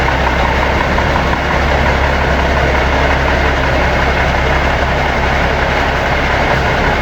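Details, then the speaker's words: Seddon Atkinson 311 Cummins diesel truck yard find, flat batteries, air building up after start: loud, deep, steady even idle with no knocks or misses, said to sound sweet as a nut and hold all its fluid; normal idle. "It sounds sweet as a nut and it does hold all its fluid."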